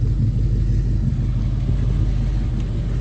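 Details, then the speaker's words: 1972 GMC Jimmy V8 at idle with new exhaust replacing holed downpipes: deep, steady, mellow rumble with even lope, no rasp or ticking; healthy, apart from a small leak at a cracked front ram horn manifold. "Nice and mellow. You still hear it's a V8. Not too loud, not too quiet, though."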